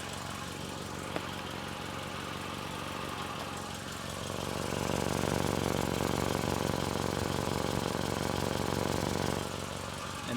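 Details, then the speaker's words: Car at almost 200,000 miles, after a new cheap catalytic converter and replacement manifold gaskets: steady idle with a breathy hiss and fast puffing near the pipe; still leaking, with another leak in the exhaust pipe. "And I'm fishing around here because I can hear something. It's still leaking. And right here, I have another leak right here."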